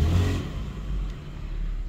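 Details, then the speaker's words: 2002 Toyota Highlander automatic transmission, shifter commands reverse but vehicle won't move, drive works, no related trouble codes, metal piece seen; engine drone sags and bogs under throttle in reverse: engine bogs, no reverse drive. "reverse on you can hear the engine's kind of bogging"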